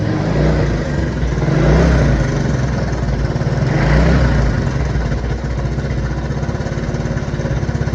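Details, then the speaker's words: 1979 Honda CT90 idling and blipped: light tinny rattle over the engine beat from a worn cam chain, noisy even at full adjustment, before cam chain replacement. "See that little tingy noise? That's that cam chain rattling around. That's full adjustment."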